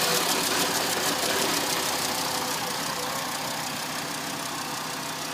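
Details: 2005 VW Jetta MK V, 146,690 km, engine fault stored: idle carries a hissy, uneven beat with soft stumbles about four per second instead of a smooth hum; misfire.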